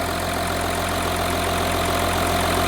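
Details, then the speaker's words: Audi Q7 diesel idling after water pump replacement and coolant refill: a smooth, even idle with a steady low drone and no knocks, ticks or squeals. It sounds healthy and the water pump shows no leak. "So as you can hear, the engine is running. Everything looks good. We don't have a leak around the water pump."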